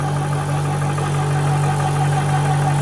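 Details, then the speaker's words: AC/DC air compressor running: loud steady low hum with constant mid tone and even pulse, no knocks or rattles; healthy, just noisy. "AC/DC gives you a chance to hear what it sounds like. Quite loud."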